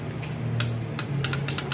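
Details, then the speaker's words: Honda Bros 150 motorcycle won't crank: dash lights, horn and turn signals work, but pressing start gives only sharp irregular tec-tec clicks, about nine in two seconds; battery first suspected, mechanic blames worn starter motor brushes. "Aí, menos o start. Fica esse barulhinho tec tec aí, ó. Ó o barulhinho. Arranque."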